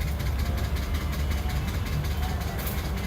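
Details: Ford F-150 5.0L V8 running with a heavy, steady rumble and a dull, uneven low knock buried in it; engine knocking, cause not yet pinned down.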